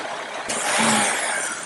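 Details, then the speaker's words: Engine at idle, already very lean with random misfire: brake booster vacuum hose deliberately popped loose, a sudden loud steady airy hiss of a major vacuum leak, used to force the oxygen sensor lean; its reading didn't change. "and you can see we're creating a major lean leak here."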